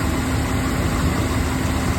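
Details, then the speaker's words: Chevrolet K5 Blazer, which never used to start and run cold, after the starting and running issue was fixed: RPMs coming down as it reaches temperature, settling into a steady, even low rumble with no misses, knocks or hunting. Normal warm idle. "She's coming down on RPMs too. So it's getting up to temperature. Oh, this makes me so happy."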